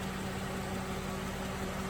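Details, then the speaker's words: Jeep two-speed radiator fan running on high after replacing a failed relay (the second in two months), engine idling: a steady rushing roar and constant hum, audible from in front of the vehicle; normal operation. "but when it's running on high you can hear it by walking in front of it you can hear the fan running"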